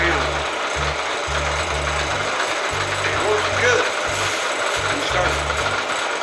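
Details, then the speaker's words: Bridgeport Series I milling machine head, variable speed drive: uneven clunking and ratcheting as the spindle reaches about half speed, then it slows instead of speeding up; owner was told the keyway is stuck. "it gets up about about halfway look at that and it's losing you know it doesn't go any faster it actually slows"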